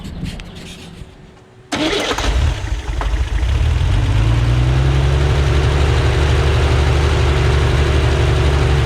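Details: Freshly rebuilt Corvair engine on a test stand outdoors, being checked for oil pressure and carburetor synchronization: quick crank, catches and settles into a smooth, even idle with a steady pitch; running healthy.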